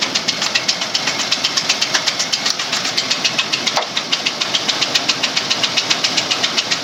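Sharp, steady ticking knock about four times a second over the running V6, clearly above the engine hum; cause still undetermined.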